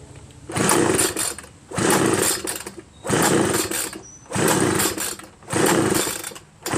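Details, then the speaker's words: Homelite 25cc two-stroke leaf blower, spark and fuel confirmed: pull after pull, about one a second, rasps through with no pop or catch; no compression from a scored piston, found at teardown, so no start. "I've been pulling and pulling nothing happens not once"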